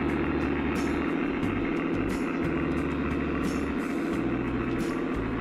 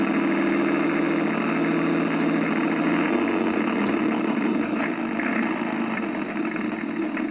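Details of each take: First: Accucraft Goose #2, roughly 25 years old, running after the broken drive gear was replaced and the motor oiled, battery possibly a little low: steady hum with light regular rail clicks and no grinding, climbing the grade under load. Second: Accucraft Goose #2, bought about 25 years ago and probably pre-2000, converted to RCS, running forward: labored whirring drive with an uneven churn near three a second and sharp ticks, gears struggling to turn; a broken drive gear is suspected.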